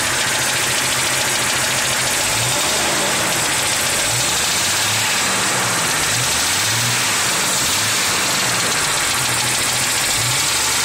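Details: 1996 Jeep XJ Cherokee 4.0L I6 at 200k miles idling with a dull knock about three times a second, loudest near rear driver's side; much louder when revving, no power loss; worsened after adding Valve Medic and Lucas oil stabilizer; mechanics rule out exhaust leak; source undiagnosed.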